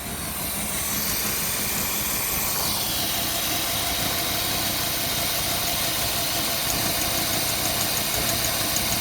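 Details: Pontiac Phoenix from the 1970s, off the road 20+ years, on first start with a stuck choke (rod missing) and a possibly loose plug wire: a loud, ragged, hissy rough idle. A vacuum leak at the carburetor is suspected; fluid is on the manifold.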